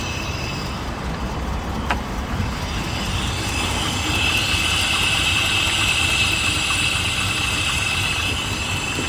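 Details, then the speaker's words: K-Jetronic engine just after a cold start: it catches on half a crank and idles slow and a bit uneven despite the cold-start enrichment seemingly near maximum; low idle speed when cold. Hot, it won't rev, backfires and lacks power. "Так, ну, заводим машину. Заводится. Вот сейчас полтычка завелась. Что интересно. Обороты маленькие, а подсос вроде бы на максимум."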